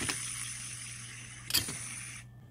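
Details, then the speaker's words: Tree Tool and Die Works Tree milling machine head teardown, clutch assembly top bearing spun by hand: thin dry hiss with gritty, scratchy clicks fading as it stops; worn bearing, as bad as the bottom one, being replaced. "there's a bearing on the top here and it's just as bad listen to that scratchy"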